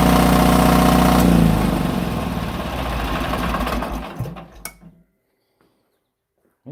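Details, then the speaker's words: Onan DJB 6.0 kW diesel generator set on test after rewinding the field coils, battery connected and breaker off: small diesel catches and chugs evenly for a few seconds, then winds down; runs just as it's supposed to. "seems to work just like it's supposed to."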